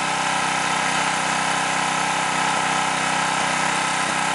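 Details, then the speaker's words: New stock Harbor Freight Predator 212cc OHV (Honda clone, EPA model), warmed up, choke off, at full factory-governed throttle: screaming with faint surging as governor rocks back and forth compensating for very lean carburetor mixture. "if you look at the governor there it's trying to compensate for a very lean mixture you see it rocking back and forth"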